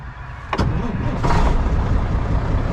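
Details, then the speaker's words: Semi truck diesel with push-button start, being sold: brief starter burst, then it catches within a second and settles into a steady, even low rumble; owner says it is one of their best starters, normal diesel start. "just pops right off. Believe it or not, this has been one of our best starting trucks. Almost every time, just pops right off."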